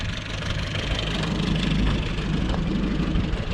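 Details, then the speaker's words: 1969 Opel GT after installing a Weber 32/36 carburetor and an electric fuel pump, with the head ported: steady, even low idle with no stumbles, running smoothly. "here we go awesome got idling good oh yeah so we poured the head i think that's why it runs so good"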